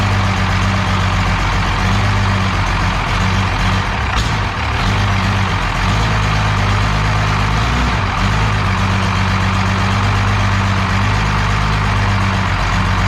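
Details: 12-valve Cummins diesel on an engine stand out of the truck, first start after a rebuild for glazed cylinders (very low mileage, cause unknown; cylinders deglazed). Deep, steady idle with an even low rumble, no knocks or misses; runs smooth and healthy.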